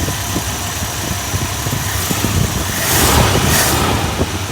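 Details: 1976 Dodge Dart Hang 10 that cranked but would not start: after the stuck carb float was freed and the needle and seat were cleaned, the engine catches and settles into a steady, even idle with a slight throttle blip; normal idle.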